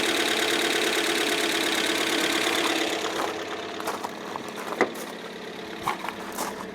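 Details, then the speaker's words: 1997 Ford Escort LX wagon, first start after new head, in neutral: fast, even light ticking over idle easing after a few seconds, suspected valvetrain noise before oil pressure builds. "Give it a second for that valve train noise to go away."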